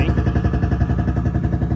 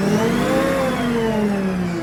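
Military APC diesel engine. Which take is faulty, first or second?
first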